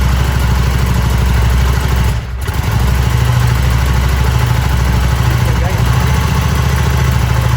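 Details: Harley-Davidson Sportster after four months of cold-weather storage, started easily with a battery jump starter kit; deep, steady V-twin lope holds even at idle with no misses or mechanical rattles; healthy idle.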